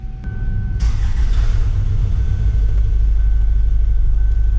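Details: 2007 Kia Sportage VGT diesel with early DPF, 213,280 km, cold start: very loud, harsh idle with uneven clatter and hunting; power balance test shows uneven cylinder speeds, injectors commonly blamed; finding points to worn, pitted camshaft lobes.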